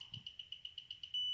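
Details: Apomorphine infusion pump during tubing purge: high even chirp repeating about eight times a second, then one steady tone; normal purge-start beeps.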